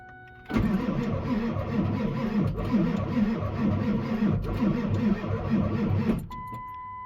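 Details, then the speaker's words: Ford 7.3 Powerstroke diesel after KC300X turbo and oil cooler install, dry-start cranking with no oil pressure: starter churns in a slow uneven rhythm, sags, never catches, then quits; dead batteries, needs a jump. "And batteries are dead. So, we're going to jump it, I guess."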